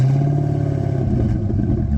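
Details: Wrecked Corvette with no mufflers, oil pressure just above 40; free-revved, it gives a loud, raw open exhaust note and a fast, even low thrum, pulling cleanly with no knock or miss.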